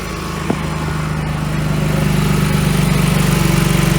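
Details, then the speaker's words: 2014 Audi S4 (B8.5) supercharged V6, heavily modified and fire-damaged, first start as a parts car, with coolant still unfilled: a brief bump, then a smooth, regular idle with no misfire or stumbles, running clean. "No fire. Engine's running. No misfire."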